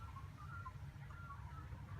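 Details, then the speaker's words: BMW E87 1 Series electric coolant pump running during the radiator bleed procedure. Faint steady hum with a high-pitched wavering whine as the pump clicks and cycles; normal operation. "so if you hear that high-pitched whine there's no movement here but that's the sound of the electric pump it's clicking and cycling and doing different things"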